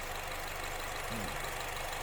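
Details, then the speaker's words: Honda Freed engine idling with the hood open during a used-car check: a steady, even, low idle with no tapping or stumble. Given as the normal example; a rough "tak tak tak" sound or self-revving would indicate a fault. "Nah, kita lihat ini contoh yang mesin Honda Freed yang normal seperti ini ya."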